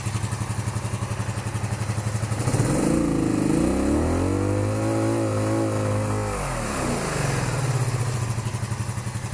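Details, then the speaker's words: 1982–83 Honda V45 Sabre cafe-racer four-cylinder started without choke, seemingly not running on all four cylinders: lumpy idle rises uneven and wavering on throttle then sags, with a spot where it nearly dies when revved. "So it does have this like spot where it dies. We'll have to figure that out."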